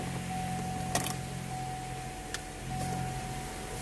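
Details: 2004 Chevy Cavalier cabin blower after replacing the blower motor resistor: steady low electric hum with faint even whine and a couple of clicks, running on lowest speed; all speeds now work normally.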